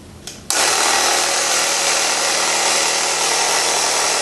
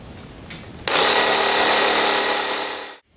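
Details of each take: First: Tubeless motorcycle tire being inflated with a pump before the bead seats: loud steady hiss over the pump's drone as air escapes between sidewall and rim; sidewalls need spreading with the BeadSetR. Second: Tubeless motorcycle tire with beads seated, being filled to 36 psi: a small pump kicks on and holds a steady, even high-pitched whir with no stumbling; normal inflation.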